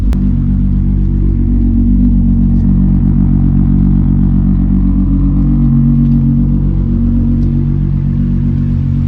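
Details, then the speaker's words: Idle of Miley after a cold start following a Nurburgring off-track at about 115 mph: a smooth, even low rumble with no stumbles, cuts or misfires. The fuel/ignition cut seen on track has not returned, a normal idle. "so as you can see and as you can uh here the car still runs perfectly i haven't had that little um like fuel cutter ignition cut since we're on the track which is a good thing"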